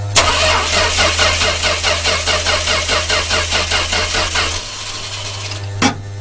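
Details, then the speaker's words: 1966 Dodge A100 van, 225 CI Slant Six, cold start after long sitting: starter turns engine evenly without firing, low hum underneath; engine had been cutting out suddenly; no spark at coil. "sport reason I'm suspicious of electrical is just help quick it's cutting out it's not dying off like it's out of fuel it just cuts out and I see we're not getting our spark down here again"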